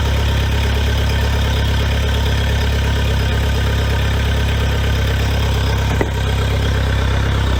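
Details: Honda 115 hp fuel-injected outboard on flush muffs after a VST fuel system service: steady, deep idle rumble with an even beat and no misses, knocks or surging.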